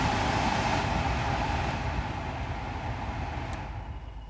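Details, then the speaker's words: 2008 Vauxhall/Opel Corsa D heater blower motor running with a steady rush and slightly uneven rough hum; speed varied on its own and bogged down, tapping changes speed; motor proven faulty by oscilloscope and thermal camera. "Sounds a bit rough. When I was driving it back here, the speed of the fan would vary during the journey on its own, even though it's manual controls."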